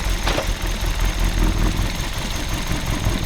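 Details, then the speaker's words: Car, microphone in the open engine bay at idle: a heavy, uneven 웅웅 drone with severe engine shaking. It vibrates badly in D with the brake held, less in N, and clunks on gear shifts. Cause: worn engine and transmission mounts. "가장 먼저 엔진룸을 열고 엔진의 움직임과 소음을 관찰을 했습니다. 시동을 거니 엔진 자체에서 웅웅웅웅 하는 소리와 함께 상당히 심한 진동이 발생하고 있었어요."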